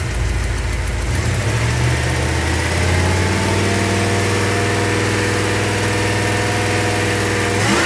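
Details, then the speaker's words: 383 stroker V8 in a truck after repair of its rebuilt engine, warming up outside: a deep, steady burble settling into a smooth, even idle with no knocks or misses; basic fuel pressure set, small exhaust leaks only. "basic fuel pressure is set it seems to be running good and smooth and there are no leaks underneath"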